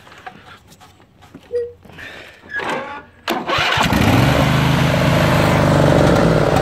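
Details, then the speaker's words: Craftsman tractor, Briggs and Stratton 22 hp OHV twin, restarted after sitting a couple of years, on a jumper pack: loud, slightly uneven beat; runs well on choke, terrible without, from a dirty carburetor. "So, choked out, runs well. Choke in. Runs terrible."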